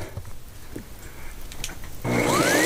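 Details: Windsor Sensor S12 vacuum cleaner after repair of a failed control board and a wire with no continuity: quiet start, then the motor kicks in with a rising whine and steady air rush, no grinding or rattle; running normally.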